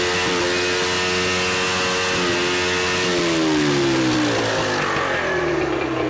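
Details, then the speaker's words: 1983 Evinrude 50hp two-stroke outboard after carburetor work: buzzy revs that rise, hold, then sag and drop away unevenly because it is firing on only one cylinder. "that's running on one cylinder"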